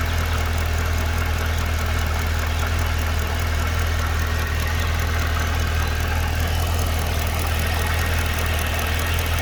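Steady idle with a strong low hum and a fast light tick riding on top, about four a second; source of the tick unclear.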